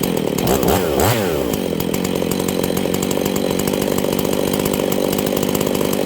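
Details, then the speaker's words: Husqvarna 268 chainsaw, low-speed jet adjusted one full turn between rich and lean die-out points, set halfway plus slightly rich: high revs swinging in pitch, then settling to steady scream. "you turn it rich till alts to die turn it lean until it wants to die I go about halfway in between those plus a little bit more on the rich side that should be your Optimum setting"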